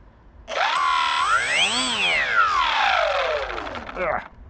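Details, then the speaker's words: Bixler 3 RC plane electric motor with a suspected worn bearing; high whine climbs and falls with throttle, harsh grinding scream especially returning to low revs, yet it still works and doesn't run too hot. "One of the motor bearings seems to be shot. It's making some crazy noises. I mean, especially when you let go, when you give it gas, and then when it returns to idle, let's say, on the lower RPMs, you can hear it scream like crazy."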